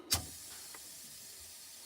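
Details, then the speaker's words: 1963 Impala air suspension controls: a sharp puff of air, a steady hiss as the bags fill, then another puff as rear and front raise; normal air suspension operation. "This is for the airbags. So you got the rear up, and you got the front up,"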